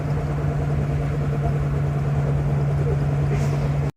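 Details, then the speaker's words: 1982 Ford Mustang GT rear axle, cruising after repair, only slightly better. A steady low hum drones over road noise from ring and pinion gears that felt loose and may need reshimming and clearance checks. "So, we fixed a problem, but not all the problems. It is ever so slightly better. The gears still sound terrible."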